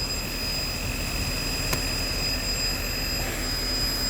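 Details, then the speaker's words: Mercedes-Benz W219 CLS 350 with collapsed Airmatic air suspension, engine idling: a steady loud hiss with a faint high whistle underneath the car as it deflates. Air suspension leak, with a leaking strut suspected. "oh you can hear it's deflating and going crazy underneath me"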